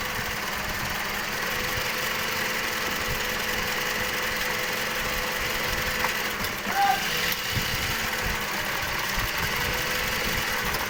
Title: Engine Misfiring v3